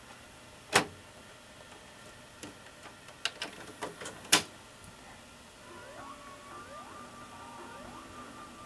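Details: 1990 GE 2-head mono VHS VCR, heads and mechanisms cleaned, starting a recorded tape: sharp clicks and clunks as the tape loads, then rising motor whirs settling into a steady run. Normal tape loading and playback start.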